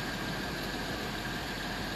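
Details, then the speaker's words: 2004 Mercedes-Benz W211 E260 Elegance with 42,000 km, idling after startup: an even, steady, quiet hum with no uneven beat, shake or vibration; the buyer agrees it is very smooth. "Suara mesinnya saat gua starter halus banget nggak? Halus. Halus banget. Kata dia halus banget."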